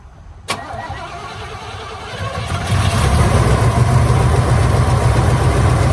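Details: 1983 Hurst/Olds 15th Anniversary with Quadrajet carburetor, first start after sitting parked since about 2002: one sharp crank, then a low, slightly uneven, crunchy-sounding rough idle. Cause not confirmed.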